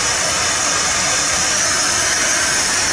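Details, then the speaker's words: 1978 Dodge D100 truck, first run after sitting almost 20 years, idling with the distributor being adjusted: loud steady high hiss over a faint idle, air escaping near the carburetor; suspected vacuum leak, possibly a vacuum hose, unconfirmed. "i can hear air coming out of something down here probably something on the carburetor there's a vacuum hose back here"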